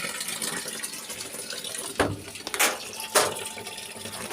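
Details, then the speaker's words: LG top-load inverter washing machine after a part was replaced to fix very weak water filling: a strong, steady rush of water into the tub with a few splashes and no sputtering. The fill flow is healthy. "na nay malakas na ka tubig ayan o kita niyo m 'di ba naano na nagawa na nagpalit akong piyesa"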